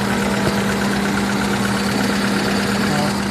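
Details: Hyundai Atoz engine with severe blow-by, idling after an XADO engine treatment of about 5 hours. Even, steady hum with no knocks, misses or hiss. No smoke from the engine or dipstick now; normal idle.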